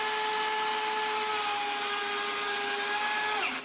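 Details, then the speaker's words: Ford 351 Cleveland engine with hydraulic lifters, oil pump driven by a drill: steady drill whine that sags in pitch when a blocked lifter is released and oil pressure halves from about 40 lbs, bleeding off through the lifter bore leak. "Now, if I release that, our oil pressure drops in half. You can hear the drill slow down."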